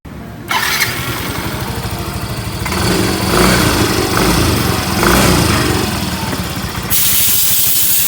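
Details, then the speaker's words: Yamaha Mio M3 scooter, engine warm: harsh, rapid ticking over exhaust that grows louder as throttle and rpm rise; barely audible when engine is cold; cause not yet determined. "suara kasar ya saat udah agak panas suara kasar ngelitik ya teman kita dengar dulu ya suaranya kasarnya seperti ini ya"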